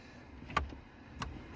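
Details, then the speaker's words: 2005 Ford F-150 stuck in park, after shift interlock repair, key on: pressing the brake gives two crisp clicks from the shift interlock solenoid, meaning it releases normally and the shifter is shiftable. "you hear the clicking that means it's working and it's shiftable"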